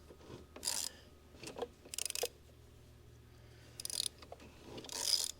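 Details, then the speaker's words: Previously seized Honda CL90 engine turned slowly by wrench after PB Blaster was sprayed into the cylinder: short bursts of dry, gritty rasping, still tight and crunchy on the first rotations, loosening slightly. "Oh yeah, starting to feel a little better. Oh yeah. It was a little crunchy going around the first time."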